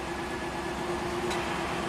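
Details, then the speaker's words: 1993 Cadillac Allante V8 at idle during A/C recharge, cool weather, charging through low side: steady idle hum with a sharp click as the A/C compressor clutch engages normally. "okay heard the AC compressor kick [Applause] on now we're charging 1 lb"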